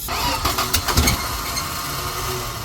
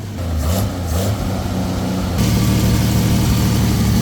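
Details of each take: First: Power Wagon with 6.0 engine swapped in from a GMC, first start with gasoline sprayed in carburetor, no exhaust fitted: sharp pops then loud, raw, open bark settling to even run. Engine running without exhaust. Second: Swapped engine in a Dodge Power Wagon parked 23 years, no exhaust fitted, janky wiring: loud, deep, uneven rumble with irregular firing beat, rough running possibly from miswired ignition.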